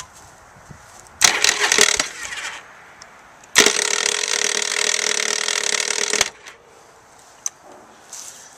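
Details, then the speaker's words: 1985 Yamaha Virago 700 starter button pressed twice: harsh, high metallic grinding; the motor turns over once or twice then slips, a common starter idler gear fault on older Viragos. "you guys hear there that when I hit the button it would it would just sort of grind like that it'd turn the motor over once or twice and then it would just sort of slip"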